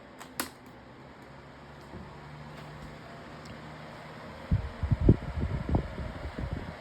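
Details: 2026 version of the Lasko 18-inch plastic table fan on high speed with oscillation. Soft, steady, low motor hum with no rattle, scrape or wobble; normal operation.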